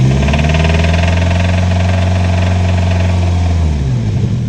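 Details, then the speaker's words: Nissan 240SX budget drift build, idling petrol engine: fast uneven tapping/knocking over deep hum from slack timing chain with a lot of play; new timing chain kit to be fitted, possibly missing guide. "A lot of play and there's also play down here with the chain down here which is making the knocking sound unfortunately"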